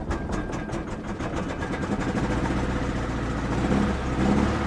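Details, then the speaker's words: 1993 Pontiac Grand Am, 70,000 miles, just restarted with check engine light on: uneven lumpy idle with irregular low pulse and stumbling; rough idle, owner suspects bad gas, bad coil pack or weak fuel pump. "i mean it's definitely not running great there's so many things that could be it could be bad gas it could be a bad coil"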